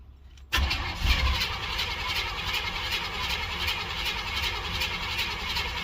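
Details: 305 H.O. small-block Chevy, first cold start of the day at 61°F, choke fully open, not primed or pumped: steady rhythmic cranking about two beats per second that never catches; cranks but won't fire.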